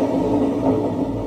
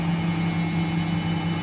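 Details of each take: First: Washing machine before the drum bearing replacement, drum turned slowly by hand: a coarse, low grinding rumble that rises and falls with rotation. The noise is worse in the spin cycle, pointing to a worn drum bearing. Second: 2001 5 kg, 600 rpm washing machine spinning with a full load of over 5 kg, in a drum-bearing replacement job; machine had been very noisy: steady, even hum with no rumble or grinding, slightly noisy due to age.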